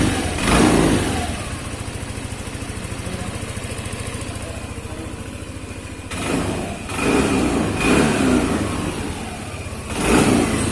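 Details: Yamaha Lexi 125 scooter after a fix for a sewing-machine-like ticking noise. It idles and revs in clean, even blips with no ticking left over the exhaust: the engine sounds healthy.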